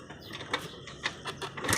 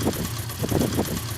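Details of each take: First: 70cc motorcycle engine before tappet adjustment: after a few kicks it catches and settles into a fast, loud ticking clatter over the idle; loose tappet clearance. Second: 70cc motorcycle single after tappet adjustment; idles with an even putt-putt about three beats a second and no tappet clatter; valve clearances correct, normal idle.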